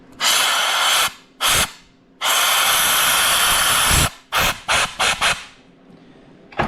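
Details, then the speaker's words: John Deere 4050 split for a no-start, with the C1 clutch piston tested on 160 PSI shop air: sharp hissing bursts, some long and some short, as air escapes past the piston's outer seal instead of lifting it; fix is a new updated piston. "I can't even pop the Piston out it leaks so much insane so that is leaking around the outer seal"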